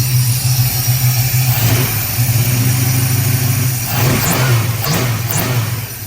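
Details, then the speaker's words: 1970 Dodge Challenger 440 V8 with FiTech fuel injection, after new spark plugs cured bad skipping: deep, even burble with throttle blips, no missed beats, runs smooth and strong. "Let's go listen out back. Sounds pretty good to me. Sounds damn good."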